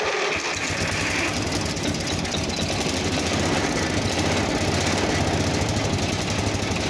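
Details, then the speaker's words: Simplicity 4212 lawn tractor restoration, first start after engine work: steady, even single-cylinder chug with no misses or surges; the owner still suspects something with the carb. "That sounds good actually. If it stays running for a little bit."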